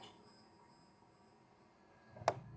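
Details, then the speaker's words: Toyota Calya/Daihatsu Sigra power mirror driven to its end stop: near-silent motor hum then two sharp clicks half a second apart as mechanism hits the stop, normal. "Nah, sampai bunyi seperti itu berarti sudah mentok."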